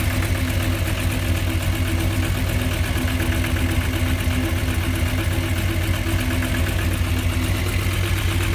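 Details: VW Jetta VR6 2.8, noise persists after new plug wires and spark plugs, engine lacks power: steady idle with a low slightly uneven throb about four beats a second; abnormal noise, cause unknown.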